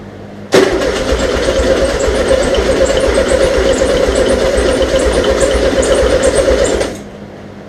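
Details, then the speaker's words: VW Beetle just fitted with dual carburetors, first start with the exhaust heat riser ports left unplugged: a sudden, loud, raw, rasping bark like open headers, filling the space with smoke. Exhaust leak at the open ports. "oh my god dude that is so [ __ ] loud sounds like a Harley all right I got to plug those ports"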